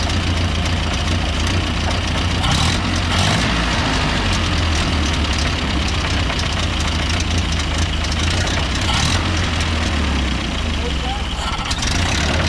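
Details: 1930 Ford Model A pickup, gasoline four-cylinder, just started, choke likely needed: low steady chuffing idle with slightly uneven beat, no knocks or rattles; normal idle, runs fine, tune-up planned.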